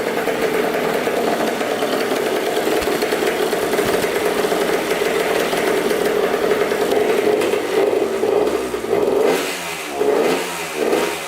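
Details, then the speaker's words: 1994 Honda CR80 two-stroke idling on choke: steady ringing idle, then blips near the end that sag and recover unevenly. It runs great only on choke; owner thinks it is running way too lean, the air screw does nothing, and guesses the pilot jet is too small. "so the bike runs great with the choke on so that tells me that the bike is running way too lean um very strange"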